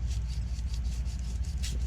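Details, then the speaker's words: Worn front strut top-mount thrust bearing removed from an Audi Q3 during Bilstein B4 strut replacement, turned by hand; a gritty sandpaper-like rasp pulses with rotation. Owner says a worn one causes squeaking when turning the steering wheel and that it is noisy. Being replaced. "yeah it's sounds like sandpaper that's not good"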